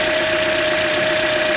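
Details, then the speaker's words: 2009 Toyota Corolla, about 185k-200k miles, Mobil 1 0w-20, no check engine light: idling with fast busy ticking through a steady hum; owner checks the VVT oil control valves, doubting they are the cause. "today i'm going to work on this oil control valve centerline the vvt oil control valve or similar because the car having a lot of picking noise"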